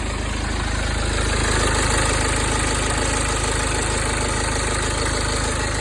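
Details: BMW N47D20 diesel at idle with a tinny, even rattle of about four beats per second over the clatter; a shop said it comes from the exhaust system, but this is not confirmed. Rattle at idle.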